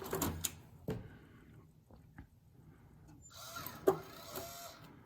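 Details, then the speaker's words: Macintosh 512K floppy drive: short whir and a couple of mechanical clicks, then the disk clunks out cleanly; the geared eject mechanism works; normal floppy eject. "Yep, that's still good, because those have gears that brake. The eject mechanism has a gear that brakes in it."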